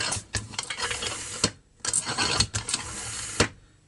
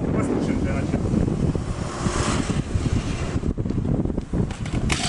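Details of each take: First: Grass trimmer crankcase pressurized by hand pump through an adapter in the spark plug hole. Airy hissing bursts with sharp clicks come from the small crankshaft seal on the starter side: a damaged or dislodged seal causing a crankcase air leak. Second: Two-stroke string trimmer after replacing a damaged starter-side crankshaft seal that caused crankcase air leak: rough handling noise, then steady buzz that revs up cleanly and holds even, no surging; runs perfectly without adjustment.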